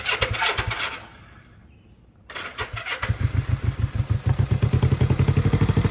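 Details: 1972 Honda CB450 twin, unrestored, very low on gas: a few cranking beats, a pause, then catches and settles into a steady even putter; normal start and idle.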